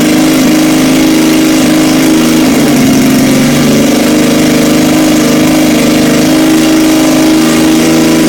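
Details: 1977 Yamaha XS750 four-cylinder, first start in 30 years after new oil, filter, plugs, resistor caps, rebuilt carbs with velocity stacks, new throttle cable and auxiliary fuel tank: runs steadily, pitch dipping and rising with throttle blips, no knocks; normal running.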